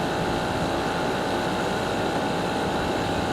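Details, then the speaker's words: Garage A/C compressor in heat, surface readings 120° at bottom up to 160° at upper right: steady, even hum with a constant mid-pitched tone, no rattles or cycling; labouring, "chooching" hard, normal running under heavy load. "you could hear it's in labor it's definitely chooching"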